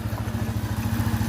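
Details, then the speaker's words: Itálica Z150 single-cylinder motorcycle after transmission gear bushing repair, idling in gear with clutch released: even, quick low putter with no whine over it; in-gear noise gone, gearbox quiet. "No más ruido, no más ruido. Ponemos velocidad, soltamos. Ahí está. No más ruido."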